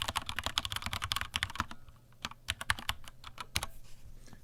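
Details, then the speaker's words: Vortex Cypher keyboard, stock Cherry MX Silver linear switches, stock keycaps without o-rings, microphone moved down, typist bottoming out: quick even clacks with firm bottom-out, fast bursts then slower, no spring ping; normal typing. "so just some general key spamming all right okay so that is a rough ish sound test of what this vortex cipher with the MX Silver's sounds like it's not unpleasant"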